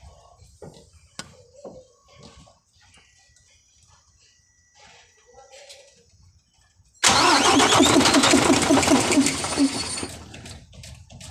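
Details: Mercedes-Benz 1841 truck: starter spins engine in steady pulses about two a second but it never catches; hard starting from fuel line problem.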